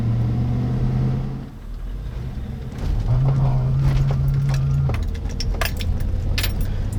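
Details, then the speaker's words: 99-06 GM Yukon full-size truck, low-speed accelerations on a bumpy road: low steady pulsing hum and grumbling under road noise, first symptom before intermittent TCS errors and traction-active light; worn front wheel hub bearing. "you heard the immediate sort of low grumbling that was the first symptom I started experiencing before anything else happened"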